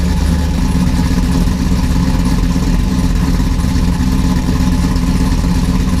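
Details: Procharger-supercharged 4th-gen Camaro LQ4 V8, first start after installing front-mount intercooler with new oil and filter: deep steady idle, even low burble, no misses or knocks; running much better.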